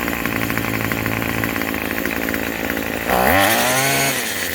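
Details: Craftsman 27cc two-stroke string trimmer, free used unit, just started after priming and repeated pulls: steady high buzzy idle, then a crisp rev that climbs and settles cleanly with no stumble; running normally.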